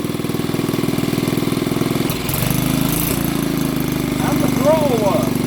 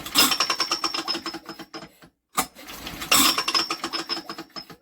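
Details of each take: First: Old BSA 50cc single-cylinder engine, first run after years sitting under a bench: steady firing chug, revving up and settling back a few times; it runs. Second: Old BSA 50cc engine, unused for years, spun over during a spark check: fast tinny ticking rattle in two bursts as the flywheel catches on its cowling tinwork.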